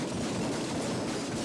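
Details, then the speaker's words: 1999 GMC Yukon driving: harsh continuous metallic clatter, grinding and banging from the undercarriage, like a tool chest falling downstairs; 4WD out, transfer case broken (loud clunk engaging 4WD, put in park while rolling); source unconfirmed. "it makes an awful lot of noise when I drive it there's a lot of rattles and and grinding noises and stuff coming from the underc carriage uh sounds pretty much like a tool chest falling down a flight of"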